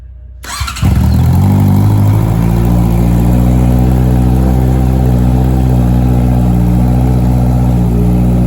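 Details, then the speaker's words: Honda CBR650 motorcycle, cold start in a garage after fitting a new exhaust muffler and O2 sensor. Catches after brief crank, settles into loud, deep, steady, echoey idle with even burble; normal cold start. "And this is a cold start again. Nice quick job. Very good."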